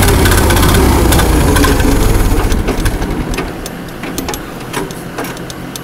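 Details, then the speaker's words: Allis-Chalmers 170 tractor, sat about two years, carburetor cleaned and rebuilt, new plugs and coil. Loud even chugging about four beats a second fades to weak pulses; catches briefly then dies. Fuel suspected not reaching carburetor fully, unconfirmed. "yeah it's it's not reaching the carburetor not completely"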